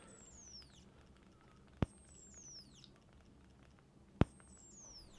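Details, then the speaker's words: Nikon SB-910 speedlight: a sharp pop, then a high whine sweeping down in pitch, repeating every couple of seconds as it recharges; when the internal electronics overheat it slows recycling instead of cutting out completely. "So what it does now is instead of just completely cutting out and having to wait for not so much the batteries, not so much this bit here, but the actual electronics inside to cool down, it's just going to slow it down."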